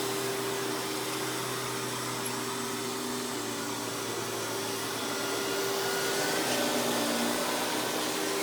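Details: 1990s Hoover PowerMax Supreme 850 S3609 canister vacuum revved to high speed: steady, even motor whine with a constant airy rush, no surging or rattles; runs smoothly, though not especially quiet.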